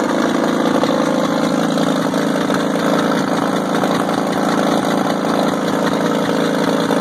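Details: WWII-era Caterpillar RD4 bulldozer diesel, first start in 20 years after recovery from a canyon, clutches seized: steady, even idle with low uniform beat, no knocks or misses; normal idle.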